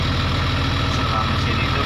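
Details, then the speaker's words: Case 2050M bulldozer diesel started cold at 195.6 hours with low radiator and transmission temperatures; deep, steady rumble with even low pulses and no knocks or misses — normal idle. "Nah, kita hidupkan mesinnya. Mesin hidup."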